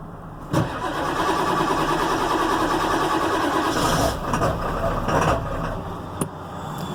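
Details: 1997 Ford Powerstroke diesel cold start at about 20°F in snow after sitting a couple of weeks: cranks and catches into rough uneven clatter settling to a lumpy idle; grouchy but starts.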